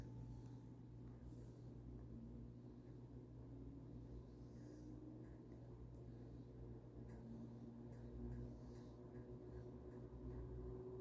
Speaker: Tá indo, ó. O mínimo é bem mínimo mesmo, tá gente?